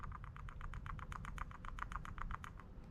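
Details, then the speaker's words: 1970 Chevelle, part being tested after freeing its stuck piston: quick light ticking about eight clicks a second over low hum; the vent valve now flaps freely and works correctly. "not sure if the camera will pick that up but it's now making that noise similar to what the other one did so go ahead and give this the test here as much as I hate to admit it it is now working correctly"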